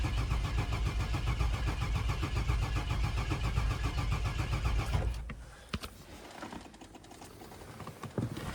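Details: 2000 Chevy Express van with a crank no-start, cranked with the scope back-pinned at the PCM connector. The crank sensor signal reaches the PCM at about 8 volts. The starter cranks steadily at about four beats a second for five seconds and never catches. Cause is a faulty PCM.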